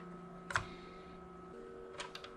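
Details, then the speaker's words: Flea-market Nintendo GameCube that won't read discs, after lens cleaning: a few faint clicks as the lens seeks but no whir of a disc spinning up; disc not spinning up. "I hear the lens moving, but I don't hear the I don't hear it spinning up."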